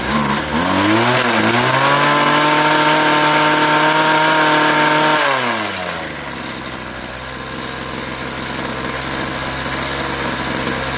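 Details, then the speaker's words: Craftsman 21cc Bushwacker two-stroke hedge trimmer, warm restart after sitting about a year: buzz climbs cleanly to a steady high rev, holds, then drops back to even idle over a couple of revs; sounds fine. "Sounds fine. And yeah, so it runs fine. It operates fine."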